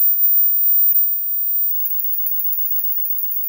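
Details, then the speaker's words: Toshiba UltraSlim CRT TV with unstable vertical, cold solder joints, coastal oxidation and a burnt transistor, just plugged in: faint rapid even ticking about six per second after switch-on; screen flickers, vertical seems off frequency, source not yet found. "Tá estranho esse barulho, né? Ah, mas tá funcionando."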